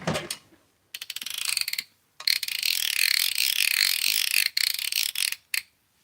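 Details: Drag clicker on a baitcasting reel: crisp, loud run of rapid high-pitched clicks in short bursts as line pulls off; healthy, even clicker, almost too loud.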